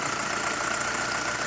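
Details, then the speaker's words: 2011 JAC J3 idling after the alternator belt idler pulley bearing (RT 4041) was replaced to cure a belt noise: an even, steady engine hum with no squeal or chirp from the belt, a healthy, quiet idle. "Nossa nosso carro já funcionando no lugar ó silêncio total aí no carro aí"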